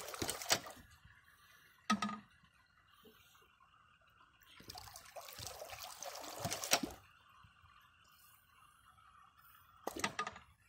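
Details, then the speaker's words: Ram pump with 1 1/4 in brass check valve, running continuously: sharp repetitive clacks of the check valve and splashing water bursts every few seconds, quiet trickling between; normal cycling operation. "hear that check valve it's the sound of progress me personally I'm not one that likes repetitive clicks and bangs but when I hear this it just makes me feel all warm and fuzzy inside because it's something doing it it's working 24 hours a day seven days a week"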